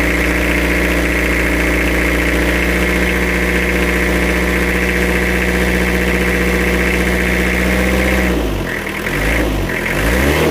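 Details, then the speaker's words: Toyota Kijang diesel after engine rebuild with new AR-brand pistons: smooth steady idle and one clean throttle blip, no tapping on lift-off or air-filter bok-bok noise as before. "setelah diganti seker yang merek AR suaranya menjadi halus renyah khas seperti Kijang Diesel khas."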